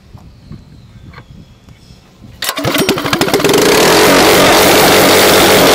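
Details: Harbor Freight 212cc engine with stage 1 mod (bugle-tip exhaust, jet kit in the stock carburetor, angled air cleaner, breather, aftermarket tank): a few quiet clicks, then fires and picks up to a fast, even, crisp exhaust beat that holds steady; runs cleanly.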